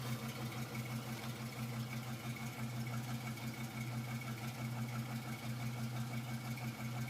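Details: 2006 Trailblazer SS with LS2 V8, cold start idle: low rough beat with a faint repeating knock over the steady rumble; owner says it isn't piston slap and the noise gets louder when warm.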